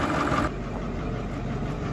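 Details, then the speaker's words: Massey Ferguson 1800 diesel tractor, engine seized eight months ago and since revived, idling hot to cool down after chisel plowing: steady, even low rumble, no knocks or misses; smooth, healthy idle. "who knew that 8 months ago that was a Seas up engine this was going to the scrapyard and now look at her just singing along like a beauty turn like a big old Kitty kitten just love"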